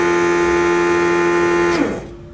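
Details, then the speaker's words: Rotary vacuum pump newly installed in a 1972 VW Bus EV conversion, heard in the still-empty vehicle where it sounds loud: a steady buzzing hum that cuts off cleanly as vacuum recovers quickly. This is normal operation, quieter than a diaphragm type. "there you have it you can see how quickly it it recovers these rotary pumps are very fast uh much quieter than a diaphragm type"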